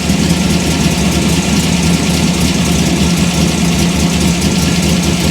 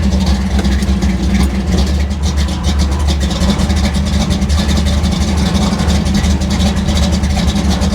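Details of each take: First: Chevy Gasser V8, warmish after about half an hour home, distributor locked out with the timing curve removed, initial timing raised to 32°: smooth, quick, even idle sitting well above a normal warm idle; fast idle from advanced ignition timing. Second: V8 on final tune, distributor locked at 38° timing, idling about 1000 rpm in gear with a somewhat tight converter: a deep lumpy burble with a steady loping beat and no knocks or ticks. It runs a little rich but sounds healthy.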